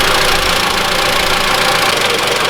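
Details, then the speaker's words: 2013 Mitsubishi ASX 1.8 petrol, CVT, 448,000 km, after replacing the alternator pulley overrunning clutch. Warmed up several times and restarted: a steady idle with an even hiss and no knock or rattle; the noise no longer appears. "Двигатель я прогрел несколько раз, заглушил, завёл. Звук не проявляется."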